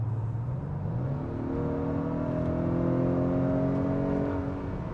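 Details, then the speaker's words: 2023 Acura RDX A-Spec Advance, under 300 hp with a 10-speed automatic, accelerating hard to pass a work truck. A smooth engine note climbs steadily with road rumble and no knocks or whine: healthy acceleration. "you can see that I had absolutely no trouble getting down the road and doing what I needed to do in the respect of getting around another vehicle"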